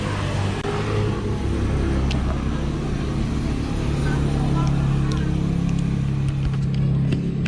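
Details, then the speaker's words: Motorcycle with a battery-operated 4-pin CDI and no battery fitted idles with a steady low exhaust rumble, even firing and a few light ticks. It runs normally because the rectifier converts AC to the 12 V DC the CDI needs. "Yan, bakit siya andar mga boss? Kasi ang kailangan lang naman kasi ng battery operated na CDI para makapagpaandar ng motor ay 12 volts na connection ano mga boss."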